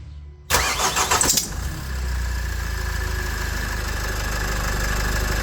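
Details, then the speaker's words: Nissan X-Trail 2.0 dCi diesel at start-up: cranks, catches, then a steady high squeal over idle; owner suspected the tensioner, idler or tired belt, water on the belt changed it, and replacing the accessory belt kit fixed it; accessory belt squeal. "Alors, ce couinement, en ayant surfé sur internet, ils disent que ça pourrait être soit le tendeur, soit la courroie qui est fatiguée."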